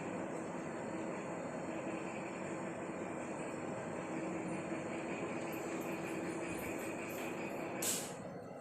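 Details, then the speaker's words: LG 7 kg top-load smart inverter washing machine, gentle wool wash: final minute of spin gives steady high whine from fast drum, fading smoothly as it coasts to a stop and switches off; normal. "Spin మోడ్లో 1 minute దగ్గర wash ఈ రకంగా ఉంది. చాలా ఫాస్ట్గా dry చేస్తుంది క్లాత్స్ని."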